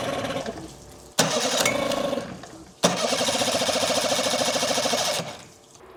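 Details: Evinrude 99 outboard after carburetor cleaning, compression about 100 and 104 PSI with good spark: fires in ragged bursts, cuts out and refires, never idling evenly; owner suspects carburetor set screws need adjusting.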